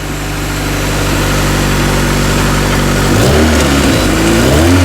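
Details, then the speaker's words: Cheap tow-yard Acura Integra (DA) started after finding a fuel pump cutoff switch under the back seat: steady engine note climbs and drops cleanly through quick blips with no knock or tick; revs freely, sounds healthy. "We have the switch on. We have a battery. Oh, it runs. Man, it sounds good. She sounds really good."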